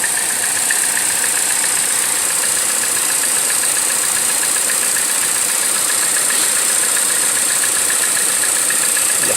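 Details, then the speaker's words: 2014 Chevrolet Cruze LTZ idling: steady high-pitched whistle from the top of the engine over a light ticking idle, a vacuum leak from a stuck-open PCV valve; valve cover replaced as the fix. "con traje de acá conmigo para diagnosticar un problema que a través de vehículo trae como un silbido en la parte de arriba del motor"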